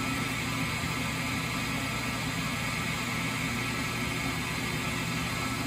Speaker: so that was it that noise loud noise it made as it was spinning up was the start capacitors connected and now it is just running by itself